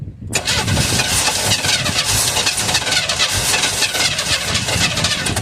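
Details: 1978 Chevrolet Custom Deluxe truck sat 21 years, start attempt before ether: starter churns steadily several seconds with no catch or firing; cranks but won't start.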